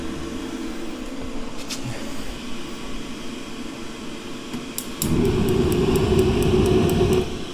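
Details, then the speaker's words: Masterforce 20V 60,000 BTU propane forced-air heater, in a 43.7°F garage on high: the fan hums, then rapid igniter ticks about three a second before the burner catches with a louder roar. Ignition is delayed; owner thinks not enough fuel reached the burner yet. "yep see sometimes you have to hold it for a couple seconds you don't have the probe it's not getting enough fuel to the burner usually it doesn't take that long"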